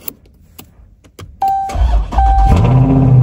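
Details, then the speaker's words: Salvage-auction V8 with oil level good, no check engine or airbag light: a few clicks, short starter whir, then catches cleanly into a deep steady rumble; healthy start. "makes it so much cooler sweet no check engine light no airbag light sounds very healthy oh yeah dang this thing is definitely sick I like it"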